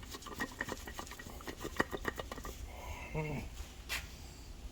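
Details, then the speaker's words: Torque converter on a 2000 Toyota Camry A140E transaxle, turned slowly by hand: loose, uneven clatter and scraping with no steady rhythm, as if broken parts are tumbling inside; internal converter damage. "but man that sounds horrible oh my God that sounds horrible wow well there you go guys there you go that's that's the problem right there sounds like everything inside of it it's moving"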